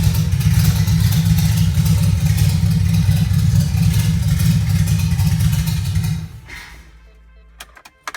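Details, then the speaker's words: 1980 Toyota pickup rat rod 20R engine, first start: catches on primed carburettor, runs rough about six seconds then dies; fuel pump not pumping, line drew only air; fuel starvation. "génial, la pompe à carburant ne pompait certainement pas de carburant. J'ai essayé d'aspirer de l'essence à travers la conduite de carburant et elle n'avait aucune résistance, juste de l'air"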